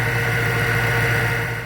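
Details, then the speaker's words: Car idling after a ticking-noise repair with fresh spark plugs, a new coil pack, exhaust leaks fixed and heavier oil: steady, even idle with a smooth low hum and no ticking or misses; the noise is gone and it runs cleanly. "no noise so that is now fixed so you come back here has a nice idle sorry that she's dirty but you know she's had some stuff going on sounds good now"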